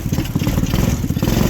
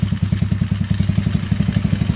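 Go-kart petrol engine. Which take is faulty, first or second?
first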